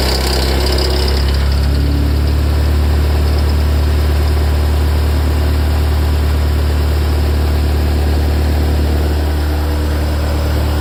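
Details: Ferrari F355 after a cold start: a rough throb of about four pulses a second under a loud, deep idle, from the front of the engine. It starts tens of seconds after start-up; idle steadies once it stops. Worse after long disuse; cause unknown.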